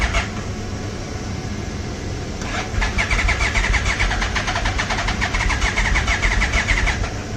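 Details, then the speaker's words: 1996 Yamaha Royal Star Tour Classic garage find, 29,000 miles, cranking on jumper cables: the starter churns steadily while the engine struggles to catch. Owner suspects bad old fuel. Long cranking, hard start. "Yeah, looks like we ain't got no good gas in here. Uh-oh. Got something going."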